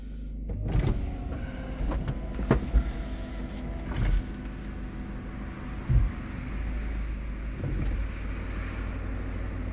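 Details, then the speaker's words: Peugeot 207 CC retractable roof that had blocked with roof-mechanism fault warning, now working after reinstalling original roof control unit and fitting the trunk curtain; steady motor whir with solid clunks as panels lock, normal full cycle. "Là, avec le rideau mise, ça va beaucoup mieux. Voilà, la fin de la vidéo."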